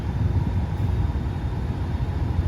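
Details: Rooftop AC condenser on a brand-new system, Nest thermostat had been on Eco/auto schedule raising temperature; after the unit was restarted, a steady low rumble with even fan and compressor drone, no knocks or rattles; condenser running normally.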